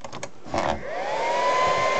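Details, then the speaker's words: HP server power supply powering an RC charger: fan spins up with a rising whine into a loud, steady high hum and strong rush of air blowing out the back; normal fan noise. "You know, it's actually loud, but not, how do I say this? It's not like, you know, mind-numbingly loud, but, you know, it's definitely got a whine to it."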